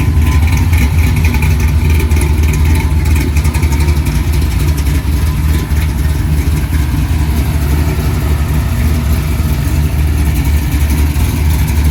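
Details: 1964 Chevy II Gasser, LS V8 swap with Holley Terminator X; deep loping idle with steady uneven chop, smooth underneath, set at 950 rpm (owner wants 800); normal idle.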